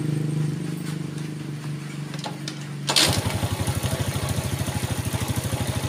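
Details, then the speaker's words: Yamaha Vega ZR with weak ignition, after a gap was set to 0.25 instead of replacing parts: cranks briefly, then catches at once into an even, steady idle with regular firing pulses, no misses or stumbling. "nyala sip langsung enak ya"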